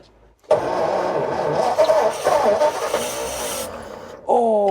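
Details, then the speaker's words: Vintage Ford flathead V8 barn find, sat about 30 years, cranked on the starter button; a few stumbling firings, then it fades and nearly catches without running. The fuel union is weeping, likely from old dried fibre washers. "you blighter that it nearly caught then didn't it yeah it's nearly"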